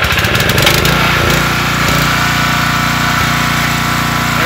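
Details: Homelite LR4300 generator with Robin Subaru EY28 engine, after carburetor rebuild and a new spark plug fitted (old plug was the no-start cause): catches on the first pull and settles into a steady, even run with no misfires; normal running.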